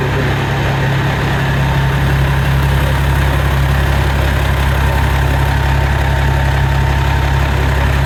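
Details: 1994 Peterbilt 379 diesel after full restoration, idling before its first road trip. A deep, even low rumble with a regular beat and no knocks or misses; normal, healthy idle.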